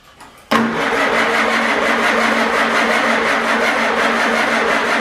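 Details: Farmall Super A tractor after a tune-up with new points, condenser, plugs, wires and cap; carburetor leaking, ether tried: steady fast cranking at about three and a half beats a second with no firing at all; owner suspects no spark, possibly the coil.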